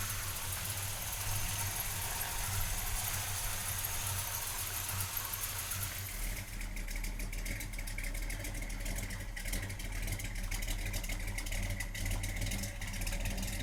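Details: 1968 Chevrolet C10 pickup, frame-off restored, about 100 miles on build, 383ci V8 stroker, Demon carb, Flowmaster dual exhaust: deep even exhaust rumble settling into steady idle, no misses, knocks or ticks; normal idle.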